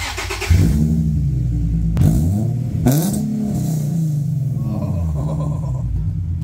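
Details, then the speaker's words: Loud, droning, raspy exhaust note on a Nissan G35 VQ V6 with a long resonator and muffler, blipped from 1000 to 3000 rpm; constant drone and rasp before the previous owner's slip-fit exhaust is removed. "как Дрон на погремушке, прямо там, дребезжащий гул постоянно в твоих ушах, где бы ты ни ускорялся от 1000 2000 300, как будто он никогда не бывает тихим"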